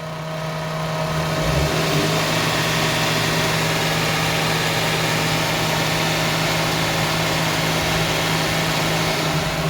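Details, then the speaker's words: Toyota 1JZ VVT-i on petrol, stumbling and not accelerating; spark plugs and throttle linkage already addressed, two fault codes found: idle hum wavers and stumbles, slight throttle makes it stumble and even stall; cause unknown. "ของเดิมมาเนี่ยมันจะสะดุดหน่อยแล้วก็เพราะเร่งนิดๆเนี่ยก็จะสะดุดนะครับ"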